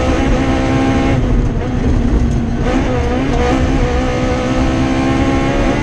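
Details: Rally car on the Padmore Village to Golden Grove stage, Rally Barbados 2017, revving hard under load with a rough note that stumbles through the pulls: a misfire caused by an injector wire that broke around the stage's halfway point.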